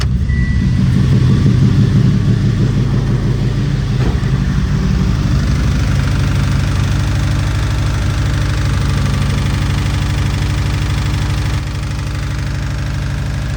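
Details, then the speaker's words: Subaru STI first startup after build work, cold, exhaust off: loud idle with a deep, steady knock about three times a second; owner feared rod knock, later suspects belt tensioner. "Hopefully that's not rod knock. Is that rod knock?"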